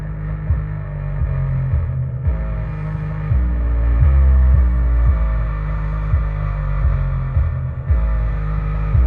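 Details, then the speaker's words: Pyle PLQB10 10-inch 4-ohm subwoofer (3.6 ohms measured) in its enclosure, after only 2–3 minutes of play: heavy bass beats with a rough, buzzy edge on low notes; subwoofer distortion, likely already blown. "really just getting it hooked up trying out a couple of songs and I think I've already blown it hear it"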